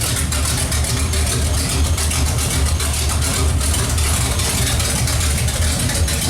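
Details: Pontiac 455 V8 just installed, running with no exhaust fitted. Loud, deep idle with an open-header bark, even and steady with no miss or knock. Smells rich; normal idle.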